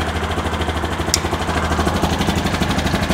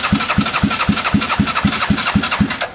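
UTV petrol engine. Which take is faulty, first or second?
second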